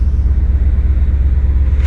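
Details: Cold V8 after stuck valves were freed, held on fast idle, not yet warm. Smooth, even low thumping slightly above normal idle; runs clean and quiet.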